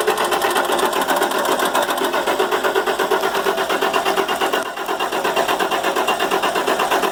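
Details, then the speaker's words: International MaxxForce DT466 truck, starts fine cold but won't restart once warm: steady rhythmic cranking about three beats a second with no firing; codes read without a scanner, oil leaking past injector o-rings found, o-rings to be replaced. "all right co-ed oil that's the injectors leakin it's one of them Huck's pretty common problem"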